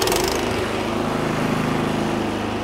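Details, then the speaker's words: Craftsman snowblower restart a couple of minutes after running, choke left in run, throttle at low-to-medium, one firm recoil pull, then throttle slid all the way up. Fast, steady putter with no misses or surging. Normal start and idle. "from here slide your throttle L all the way up and just like that you're up and running again"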